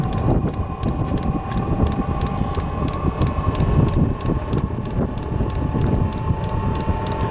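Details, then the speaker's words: Diesel heater test-run after cleaning with oven cleaner, still smoky while burning off the cleaner: steady fan roar with crisp fuel-pump ticks about three a second, even and unbroken; normal running. "hear it roaring a bit in there now it's not much but it's definitely kicking out some fog"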